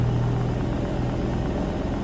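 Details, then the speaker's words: BMW E92 M3 with an S85 V10 swap, MaxxECU and DCT gearbox, very first start-up: low, even rumble with no misses, knocks or surging, quieter than expected; normal smooth idle. "It runs! Running smooth as anything. Mate, I'm so excited."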